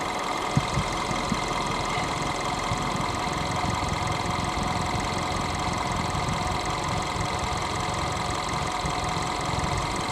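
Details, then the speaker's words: 2015 Seat after oil filter housing reseal, cooling system being bled, warm with hot radiator, open thermostats: even whooshing electric fan hum over steady idle, no rattle or scrape; fan activating normally. "it's not going to go now so one fan activation on the fan switch obviously radiator is getting very hot the lower hose is hot"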